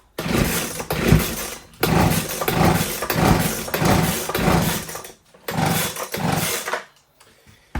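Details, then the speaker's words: Husqvarna 125B two-stroke leaf blower, sat for years with fuel, two-stroke mix poured into the cylinder, switch in run position. Several pull-cord strokes wind down with no firing; turns over but won't start. Spark not yet checked, cause unconfirmed. "Doesn't seem like it. Just putting some two-stroke in. And I did put some in the cylinder before I got going. Doesn't feel good."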